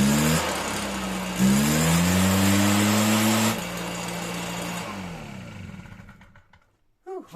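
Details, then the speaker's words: Stihl BR 340 backpack blower, two-stroke, after water-contaminated fuel cleared by pulling with plug out: steady buzz, pitch rising with throttle then easing off; runs cleanly after a rough first start. "put the plug back in and it fired up i was rough starting at first and then it started"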